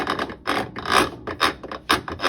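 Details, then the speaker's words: Whirlpool top-load washer in spin drive: harsh rasping grind in uneven bursts as the drive pulley sits too low and rubs on the gear teeth; nothing worn found; a spacer washer was added and the noise was gone. "if it's grinding it's because for some reason this is sitting too low and it's rubbing on these teeth"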